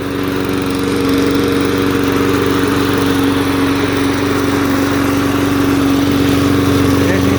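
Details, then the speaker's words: Old MTD push mower with classic Briggs & Stratton flathead, kill switch wired into throttle, possibly non-original exhaust: steady even single-cylinder putter, fairly quiet; runs healthily. "here we go sounds like a good mower though I can't do anything with it right now because it's almost January"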